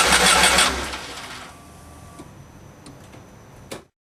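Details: 1991 Volkswagen Vanagon after engine swap: starter churns hard under a second without catching; crank, no start. Distributor timing at TDC cylinder 1 checked; owner suspects air in fuel lines; starts only on starting fluid.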